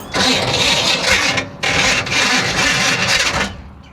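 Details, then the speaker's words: 1966 Impala SS parked over 10 years, possible water/sand damage, fuel dumped down the carb: two ragged uneven cranking bursts that nearly catch then stop; hard-start, no-start. "that's didn't sound good either did [Applause] it sounds like it wants to live"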